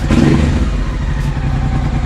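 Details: Honda XL650V Transalp after service, new oil and filter, new spark plugs, new Arrow exhaust with dB killer and Hyperpro suspension, first start after a month's standstill: deep, loud, even twin burble with throttle blip, no misses or rattles; normal running.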